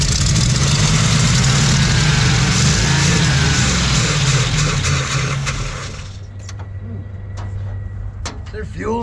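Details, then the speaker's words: Old Dodge recovery truck, carbureted, little gas poured down throat. Steady starter churn about three turns a second, no firing; likely dry, factory fuel pump found unhooked and dead, fuel starvation no-start. "There's the factory fuel pump unhooked. So the fuel pump died, that's for sure."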